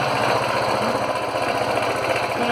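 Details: Honda CB 190R single-cylinder motorcycle received at the workshop, idling with a quick, uneven tapping clatter over its steady beat; abnormal engine noise being diagnosed.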